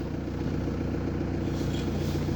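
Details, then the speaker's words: VW T4 diesel idling after a new power steering pump and a rebuilt injection pump: steady low rumble with no squeal or grinding when the wheel is turned, where grinding and squealing were heard before. "kierownicą i nic nie słychać ekstra Bo wcześniej już Były zgrzyty piszczenie"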